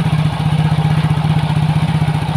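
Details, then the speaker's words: Soul GT 125 scooter that had been hard to start and stalling while riding, now idling after the ISC (idle) sensor was refitted without shimming; even, unwavering putter at a fast idle, no hunting or stumbling. "Ini motor normal tanpa diganjal ganjil ya tuh"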